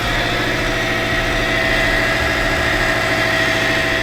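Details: Subaru STI after engine install and swapping two reversed connections, now starting: steady, smooth warm-up idle with even hum, no knocks or misses, checked for oil or coolant leaks; engine sounds healthy, normal idle.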